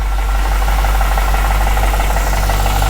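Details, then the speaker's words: Fresh engine on stock tune, first start after 2.5 years of work: light uneven tick over low idle rumble from the upper drivetrain, suspected pulley bushings and bearings loosening up, otherwise running smooth. "I definitely hear some upper drivetrain right now. Hopefully that quiets down in a minute. It's running pretty smooth otherwise."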